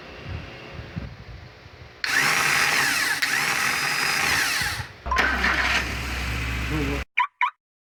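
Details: VW Gol starter motor making a harsh, high whirring grind during cranking before the engine catches briefly; the starter itself is faulty and making the noise.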